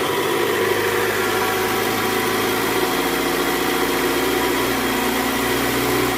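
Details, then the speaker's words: 2008 Toyota Camry 2.4 V, 2AZ-FE engine, after replacing the weak-springed tensioner: in reverse at about 1200 rpm under load, smooth even hum with the earlier growl (ngorok) gone; normal running. "Oke Guys bunyinya udah hilang nih udah nggak ada bunyi bunyi ngoroknya udah nggak ada nih posisi R di gas kisaran RPM 1200 bunyi udah hilang"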